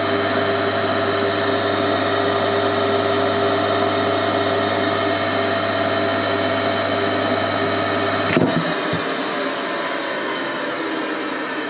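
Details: Old induction motor on a machine bought for restoration, first test run as it came, crudely wired: loud, even mains hum over a smooth spin, then a clunk as it winds down, the centrifugal switch pulling back in; healthy.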